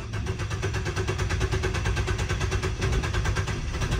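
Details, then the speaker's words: 2018 Nissan Versa 1.6L 4-cylinder that cranks but won't start since a paint job, engine light flashing: steady cranking at about two beats a second, briefly tries to catch then dies; tachometer moves, so there is a crank signal; bad gas suspected, unconfirmed. "Kind of sounds like it wants to start there. Then it just died."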